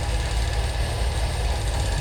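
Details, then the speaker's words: 1977 Mercury Cougar XR-7 V8 after timing set close and during ignition system work, fuel filter and plugs being swapped: low lumpy idle with uneven thudding, engine shaking; no longer dying or losing spark as before, cause not yet found. "but yeah you can hear it shaking"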